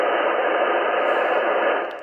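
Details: 80m ham radio band: loud steady hiss blanketing the whole band with no signals breaking through, fading near end; seems only on this band. Wideband static interference.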